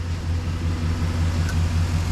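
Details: Chevy Express van V8 after exhaust manifold replacement, now started after a key no-start, smoking as oil burns off: smooth, steady low idle rumble with no ticking or exhaust puffing; running evenly.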